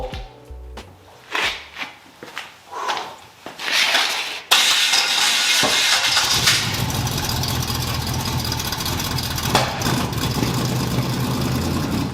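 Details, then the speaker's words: 1981 Cutlass Supreme small-block Chevy V8 with Vortec-style heads, after fitting correct-reach large-gap plugs with the distributor accidentally moved: it cranks in bursts, catches, then idles with an uneven stumbling beat. Misfire from a spark plug wire not fully on. "I'm going to try and fire it up again, because one of the spark plug wires was not completely on. Whoops."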